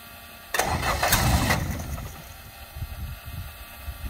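The engine cranks and catches with several sharp pops in the first second, then settles to a rough, uneven idle: backfiring on first start.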